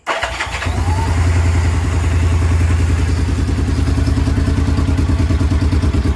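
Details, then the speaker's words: Vintage twin-cylinder motorcycle that had been sitting, whose electric start never really worked before, tested with a NOCO NLP14 lithium battery: brief crank, catches and settles into an even, steadily pulsing idle. Normal electric start and idle. "it's been sitting for a little while, but long story short, that's a success too."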